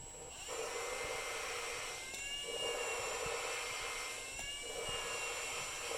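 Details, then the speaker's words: Valve lapping on a cylinder head with a lapping tool in a drill: high drill whir with a gritty scrape every couple of seconds, thinning out. The grinding fades as the compound is pushed out; lift the valve. "you can hear it grind and then you can hear the grinding kind of fade away and that means that the um closer it might pick it up that means that the valve grinding compound has kind of got pushed out"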